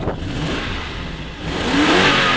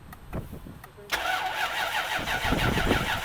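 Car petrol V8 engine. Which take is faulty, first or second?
second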